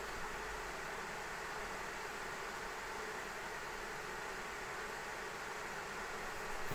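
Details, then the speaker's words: ASUS ROG Strix RTX 3090 in XTIA case under Time Spy Extreme load, case fans barely moving; steady loud rushing air with no clicks or grinding, GPU cooler moving heat with turbulence, possibly through pass-through design; loud cooling fan airflow noise. "no it's it's definitely the GPU man it's moving that heat yeah the case looks nice but damn bro there is some turbulence"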